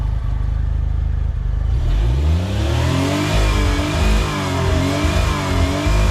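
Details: Autozam AZ-1 Suzuki Cara, warmed up, spare old fuel rail and original pressure regulator fitted after intake manifold work: revs hard then stutters in a rapid choppy cut around 6000 rpm, early rev limit, less bouncy than before.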